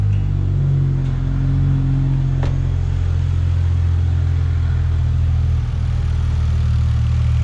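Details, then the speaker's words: Lexus GS300 2JZ-GE with turbo internals, first cold start after rewiring, car long sat: deep even low rumble, slight shaking, no knocks or misses; normal cold idle while warming. "it sounds pretty good I have to let it warm up so I'm gonna rev it up just a little bit it's shaking a little bit but anyway I gotta let all the oil flow inside the motor for the lifters and everything"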